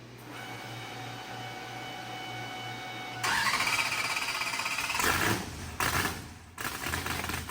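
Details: Mississippi Queen, first start after fluids, oil change, spark plugs, fuel-system flush and battery charge; water had blown out of the exhaust. Starter whirs, engine catches, throttle blips, runs evenly without knocks. Healthy; needs throttle blade, fuel pressure sensor erratic, oil pressure good.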